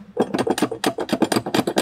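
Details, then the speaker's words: 1984 Mercedes-Benz 300D (123 chassis) on lift after sitting several years: quick hollow clunks, about eight a second, as linkage is rocked by hand; worn shifter rod bushing between shifter and transmission, common 123 problem, easy job. "that's a very common 123 chassis problem and these little bushings that go in there that's the shifter rod between the shifter and the transmission very easy job"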